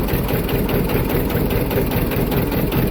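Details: John Deere 730 two-cylinder diesel, rebuilt water pump, parked in a shed and first started in about 8 years, clutch engaged, under belt load: deep, steady, even beat with no knocks or rattles; tight, healthy normal running.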